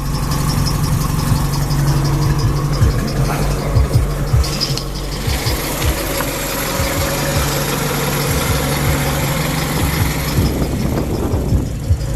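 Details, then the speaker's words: 1967 International Scout 800 pickup with Flowmaster exhaust, idling: a steady, deep idle with an even exhaust burble and no knocks or misses. It runs like a champion, a normal idle. "Pretty much what you see here is what you get. It runs like a champion."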